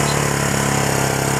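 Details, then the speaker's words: Old Suzuki 250 motorcycle that had sat unused and would not start: after cleaning the carburetor's jets and air passages and refitting it, the engine starts right up and holds a quick, even, steady single-cylinder idle with no misses or knock; normal idle. "got lucky motor started right up looks like it's going to run good"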